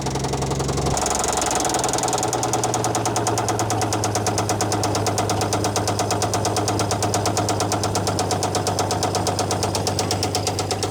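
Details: Old Dodge Power Wagon flathead on a temporary fuel setup and 12V coil, no cooling system: sharp regular metallic knocking about three per second over the idle; rod knock from worn connecting rod bearing.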